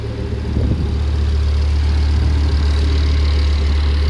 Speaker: nice and smooth looking good